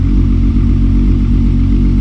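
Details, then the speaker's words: Modified VW Golf Mk4 R32 VR6 with 2.5-inch Magnaflow exhaust and dual rear pipes: loud, deep, even burble with strong low rumble and clean throttle response. "That is an amazing exhaust. People ask me why VR6. That's why VR6."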